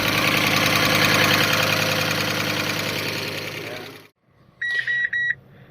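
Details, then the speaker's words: Fiat Stilo Abarth, not run for years, rough high idle that drops: fast, even ticking about three and a half per second; owner suspects hydraulic lifter noise but says it could be a sensor (air-filter sensor); cause unconfirmed. "A lot of hydraulic lifter noise, which you can expect, of course, after so many years, but it could be the sensor."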